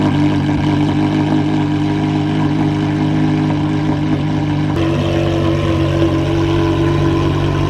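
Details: Porsche Carrera GT V10 after recall work, just started after 7 months sitting: even steady idle, smooth deep hum with slight pitch step midway, no knocks or misses; healthy.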